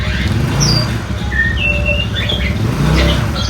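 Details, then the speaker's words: Yamaha Mio/Fino/Soul carbureted scooter after repair, pulling away at low throttle: even, low engine hum, now smooth with no squeal or judder; before the fix it squeaked and shuddered at low throttle, especially after bumps. "Nah, ini udah halus banget ya, nggak ada gredek, nggak ada bunyi juga, terus juga suaranya udah halus."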